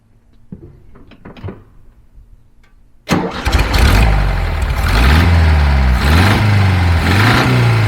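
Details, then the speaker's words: 1975 VW Beetle (Fusca) engine run briefly without the cooling fan: after start, a steady knock about four per second rides over the idle and rises with revs; internal wear suspected. "e com certeza a notícia era pior o barulho continuou tá mais audível ainda sem sem o barulho do ventilador sem o fluxo de ar aí então certamente existe um problema interna no motor um desgaste excessivo"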